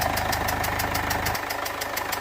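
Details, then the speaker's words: 2015 Mercedes CLA 220d diesel at idle: sharp regular puffing ticks, about six a second, come from the back of the engine over the idle. A leaking injector, confirmed visually. "oh man but the there is definitely a sort of a puffing noise coming from the engine somewhere at the back oh you can definitely hear it look that's definitely a puffy ooo look at that I think it's an injector I might be wrong I looks like one of the injectors is leaking in quite badly"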